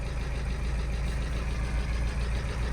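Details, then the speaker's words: VW Scirocco TDI after timing belt failure, new cams fitted, first start on jump pack and new battery, coolant leaking: deep diesel idle that shakes and stumbles with light tapping; running really rough and tappy, cause unclear. "I'm going to stop it there guys but it's running that sounds really really tappy to me"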